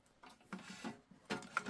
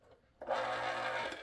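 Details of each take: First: Spare electric can opener running with its housing fully open and no lubricant on the gears. After handling clatter, a steady, even whir with no grinding or labouring and no burning smell: it runs normally. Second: Old electric can opener running unloaded with its housing refitted. A steady gear whir with a buzzing hum, noisier than it should be; the housing amplifies the gear noise, which is louder still when it is under the stress of opening a can.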